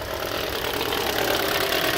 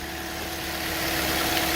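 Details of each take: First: 2013 Toyota Corolla 1.8 16V flex with CNG, automatic, AC on, at idle: harsh, rough rattling grind from the accessory belt area, stops when revved. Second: 2013 Toyota Corolla 1.8 16V flex with CNG, idling smoothly with no belt noise after the alternator's seized fixed pulley was replaced, which had caused a noise on acceleration and release.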